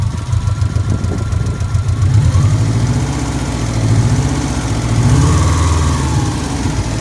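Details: Subaru Impreza classic flat-four, warm idle after a recent bottom-end rebuild (heads untouched): light uneven tick over a low boxer rumble; owner suspects noisy shimmed buckets or rod knock, unconfirmed.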